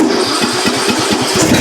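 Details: John Deere LA105 riding mower with 74 hours, previously ran only on choke (Nikki carburetor issue); small single-cylinder engine catches and settles into a quick, even firing beat with no stumbling, running fine off choke.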